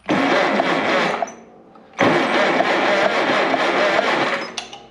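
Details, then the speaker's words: 1951/1952 Farmall Cub (9 hp) that sat 15 years; good spark after bad coil, compression about 60/30/30/10 (average ~35); two bursts of light, even cranking with no firing at all; won't start from very low compression, likely rebuild. "or a good spark bad compression so we got good spark now but we got no compression really"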